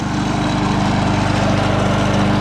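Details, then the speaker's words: Early-1980s Snapper self-propelled mower, 6-speed, in gear three under drive: small engine holds a steady, even drone with no misses, knocks or surging; runs healthy. "it works like a brand new lawnmower it cuts good and everything"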